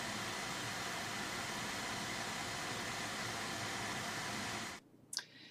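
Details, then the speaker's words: Reference AMD R9 290X graphics card under load in the Unigine Valley benchmark: loud, steady blower-fan rush with a faint high whine buried in it; coil whine, likely specific to this individual card. "so they're both really loud uh really hot cards and uh yeah the 290x has the coil wide which i don't think would be all of them"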